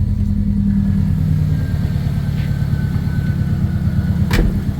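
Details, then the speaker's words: Car idling with voltmeter known to drop at idle: low idle holds but wavers with faint spits and stumbles; rough, sputtering idle, owner then blames the front O2 sensor. "you guys will hopefully see it in the video here and hear it how it's spitting and sputtering and not acting proper so idle so far nice and good"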